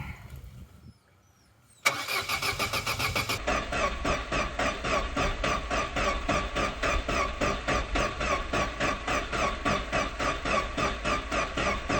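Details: Vauxhall Corsa B that sat neglected 4-5 years, camera under car watching for fuel drips while cranking after fresh fuel poured in: steady cranking about 3.5 beats a second, never fires. Cranks but no start.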